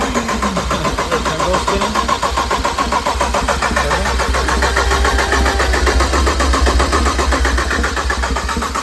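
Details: Built BMW 335xi engine, first start-up with oil but no coolant: steady priming crank, about four turns a second, no firing or catch; normal cranking.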